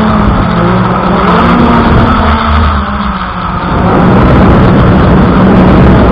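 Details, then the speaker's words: F100 Ghost drone flying in snow and cold: a thin, high warning beep sounds through the motor buzz and wind right after takeoff. Snow, cold or a dying battery are suspected; the cause is uncertain. "Can you hear the beeping? So this thing started beeping right away. Not sure if it's the snow, if it's the cold, or maybe the battery is dying right now."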